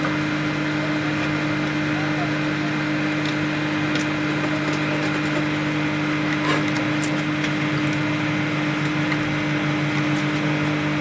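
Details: Home-built 5000 W BTL power amplifier kit with replaced capacitors and half-wave supply: a constant low, steady mains hum with faint crackles. Hum only reduced by grounding the CT to the body and vanishes with the input unplugged, so the problem is in the input section.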